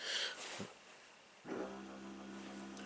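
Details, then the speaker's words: 2012 Jeep Patriot after replacing the ABS control module for code C2200: the pump is activated via scan tool, giving a click and a steady, even electric hum with no grinding; the ABS pump runs normally. "hopefully you can hear that pump kicked on sounds perfectly fine"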